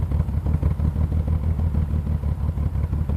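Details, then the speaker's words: 1986 BMW 528e, running after sitting for years and weeks of repairs (coolant sensor, hoses, thermostat, O2 sensor, fuel pressure regulator, oil, intake boot, cleaned idle valve): deep, loud, uneven exhaust rumble at idle; cause not pinned down. "just so loud sound"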